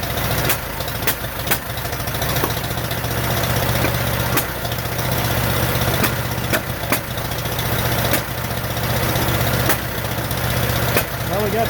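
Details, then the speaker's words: 1947 Farmall M after rebuild: rough, lumpy idle with gaps in the firing, running on only two cylinders with popping from the carburetor and no power. "it's only running on my two cylinders that I cannot figure out there's also a lot of popping coming out of the carburetor"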